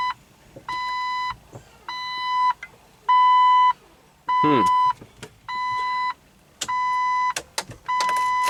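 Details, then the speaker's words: 2005 Jeep Wrangler with an intermittent no-crank, scan finding no powertrain control module, key on and engine off. Steady high chime, each about half a second, repeating roughly once a second. Repeated warning chime; cause not identified. "Oh, that beep's so annoying. What's it beeping about?"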